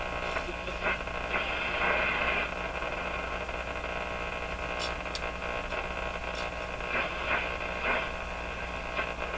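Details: Stromberg-Carlson Model 552 tube radio, paper/wax capacitors being replaced, one capacitor found disconnected, no antenna: constant low hum under a hissing rush with occasional crackles; noisy set, source not yet pinned down.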